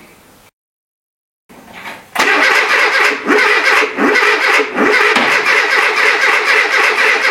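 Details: Renault Trafic with junkyard C1J S 7000 engine, unrun for about 15 years, rebuilt and refitted, with start pilot sprayed: after silence, starter cranks in steady rhythmic churn that never catches; owner finds ignition firing reversed, timing completely out.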